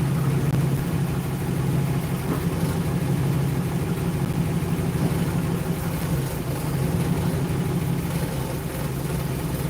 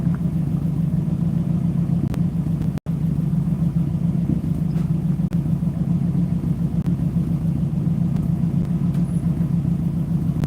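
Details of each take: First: 1960 Ford Starliner after long storage, started without revving: a deep, slow, slightly uneven V8 rumble at low idle; the idle sits low, and smooths out a little later. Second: Ford 292 Y-block V8 running normally: a deep, even rumble at a steady idle with no knocks, ticks or misses, sounding good.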